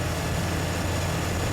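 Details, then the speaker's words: 2002 Chevy Silverado 4.3-litre after a crank-no-start caused by a defective distributor rotor and cap, replaced; now a steady, smooth, low-pitched idle with no misfire. A coolant leak is blamed for ruining the rotor and cap. "so right there as you can hear the engine is now running so this is fixed okay so the problem was a defective rotor and the cap"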